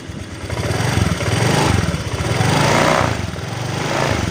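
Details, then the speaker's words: Honda Vario 125 (old model) after repair of a leaking water pump seal that let coolant into the oil, radiator refilled: crisp throttle blips rising and falling cleanly, no misfire, rattle, knock or coolant spurting; normal revving. "Aman ya, aman, nggak muncrat."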